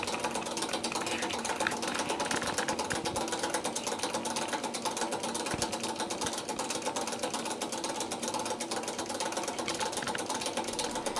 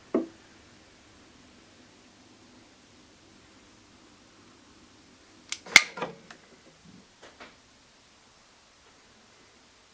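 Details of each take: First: Circulation pump, third one replaced: fast uneven metallic clatter over a steady hum as the combined impeller-rotor has worn loose and wobbles on its worn shaft after a few years, eventually causing total loss of pumping. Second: Faint, steady low hum of a circulation pump that had rattled when mounted vertically, now running flawlessly after being remounted horizontally with no other changes; a few sharp handling knocks.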